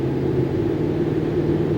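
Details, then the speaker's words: 2013 Dodge Ram 5.7 Hemi, driving after a spark plug change; before, it lagged and sputtered on acceleration. Now a steady, even low drone under way with no stumble or sputter: normal running. "but now not bad sounds like it did when i bought it we're gonna call that good"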